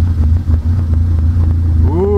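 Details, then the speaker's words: Pontiac Solstice first start-up after EFR turbo install, running OEM tune, intake piping not finished: rough idle rumble, then a rising whistle-like tone as the clutch goes in; owner asks what the noise is. "oh good put the clutch in whoo what's that noise"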